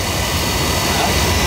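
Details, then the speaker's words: Oil burner that had been making black soot and shutting off, refired after cleaning with draft adjusted; steady even flame roar, no pulsing, puffing or rumble; firing cleanly after the fix. "yeah I know they actually need a little bit more draft that's a little better"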